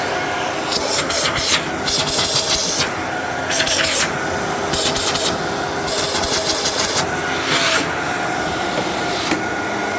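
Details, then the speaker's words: Fantom Thunder upright vacuum from a collection, expected to run poorly, instead runs with a steady, even motor hum at constant pitch, no rattles or labouring: healthy normal running; headlight wiring fine, only needs a new bulb. "Wow. Okay. For some reason, I thought that was going to sound way worse than it did than it than it does."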